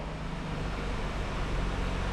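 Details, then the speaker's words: VT Commodore after replacing the noisy fuel pump: engine idles low, smooth and even, the former fuel-pump humming gone and the new pump very quiet priming; normal idle after repair. "Oh, how good's that? No more humming. Oh, so good. Good result."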